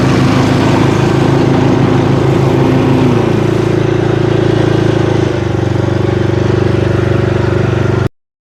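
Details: Bad Boy zero-turn mower deck after replacing blades, spindles and two worn idler pulleys that had caused a loud screaming: steady engine drone with a smooth, even deck hum and a pitch drop partway, no knocking or squeal; normal running.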